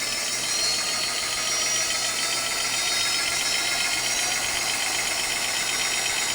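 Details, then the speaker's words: Rebuilt e-bike hub motor at 89 V spinning freely, wheel slightly out of true: steady smooth high-pitched hum, no grinding or whine; previous whining gone, quiet like new. "It used to have that really weird whining sound when you would rev up on it. It's pretty quiet now. It's actually what it was like when it was new."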